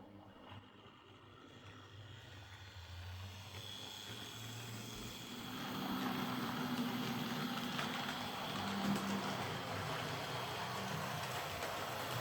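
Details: Old Hornby R751 Class 37 model locomotive after repair, with corroded wheels cleaned using a rotary brass brush: quiet whirr builds as it moves off, then holds an even, smooth hum with no stutter; motor running well.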